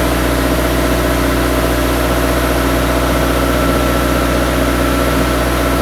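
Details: Turbocharged engine idling after a five-month winter build, with intercooler couplers replaced: smooth, even idle with a steady low rumble, no ticks or knocks; running fine.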